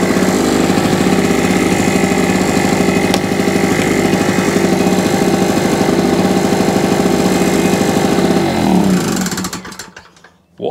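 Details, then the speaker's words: Small two-stroke generator rescued from landfill, after a new NGK spark plug and carburettor clean with contact cleaner: single-cylinder engine runs at a steady, even beat with no misses or knocks, then shuts off cleanly; running normally. "But new plug, carburetor clean, and away she went."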